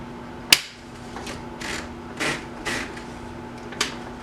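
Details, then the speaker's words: 1983 Sears (Brother) Correct-O-Ball golf-ball electric typewriter typing sample after startup: quiet steady motor hum with crisp, evenly spaced strikes about every half second; runs quietly and healthy. "One thing I do like about this machine is that it is very quiet."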